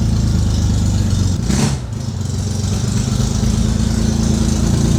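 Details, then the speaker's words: Air-cooled Corvair, warm restart: low, uneven rumble with a brief dip mid-clip, then rough running. Intermittent hot restart trouble; the starter solenoid is suspected, and a jolt of power usually starts it. "So already the hopefully solenoid is giving us grief. Normally putting power to it and overriding, like basically giving it more of a jolt, usually starts it."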